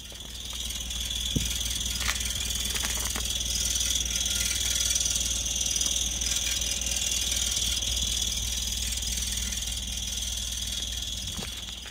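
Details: 2003 Toyota Yaris engine bay: a high, thin chirp repeats about four times a second over a steady idle.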